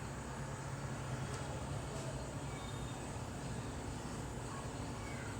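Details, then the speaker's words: Samsung AR18AY5YATZ air conditioner outdoor unit at night, phone one step away and held close: quiet steady low hum with even fan whoosh, no knocks or rattles; normal running. "So this is all the sound you can hear. I am standing only one step away from the unit."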